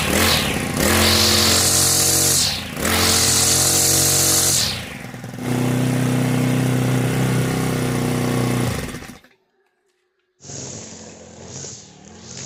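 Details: Honda GX35 brush cutter after tappet clearance adjustment and clutch replacement; revs up and drops back several times with a clean, even buzz and no top-end ticking. Healthy, normal running.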